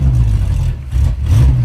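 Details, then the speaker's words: Roadkill Power Tour trade car that had been running rich, with fouled, wasted spark plugs and no spares: lumpy, uneven low thrum that dips and surges like an air-cooled VW flat-four, making no power. Misfire from dead cylinders. "so unhappy oh that's horrible oh sounds like a Volkswagen I was going to say the same thing we got a beetle oh that sounds exactly like a Volkswagen air cool"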